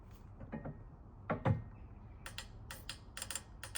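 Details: Honda Civic race car with K20 engine, injector bench-tested straight on battery voltage (12.8 resistance reading): sharp, uneven clicks and ticks as it fires internally; number 1 cylinder had black soot, injector suspected failed internally or ECU injector driver overheating.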